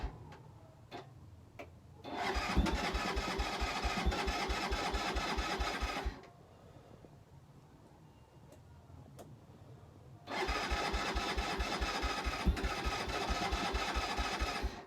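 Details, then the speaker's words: Keeway 125cc with Suzuki GN/GS engine, on new battery with choke adjusted; two four-second electric-start bursts with rapid steady pulses and brief splutters, never catches; HT lead then checked, cause unconfirmed. "again all we're getting is a bit of a splitter I'm just going to pop the h te lead off see what's going on"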